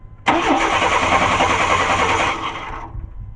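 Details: 1994 Chevy Cheyenne V8 pickup that died while towing, no spark: the starter cranks at about three to four pulses a second and stops without the engine catching, with clicking heard.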